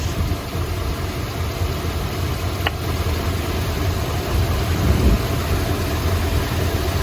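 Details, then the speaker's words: 1972 Chrysler Imperial LeBaron V8 shaking and missing at idle; pulling plug wires one at a time, this wire's removal doesn't change the uneven, loping beat — number 7 plug wire found disconnected and hanging loose, dead cylinder; earlier a burnt plug wire was replaced. "So you see how it's shaking and it's missing? I'm going to pull one plug wire at a time and see if it changes."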